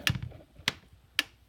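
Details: Repaired Gallagher M1500 15-joule electric fence charger, plugged back in, about 7,600 volts output with no load: three crisp evenly spaced clicks about half a second apart, normal pulsing.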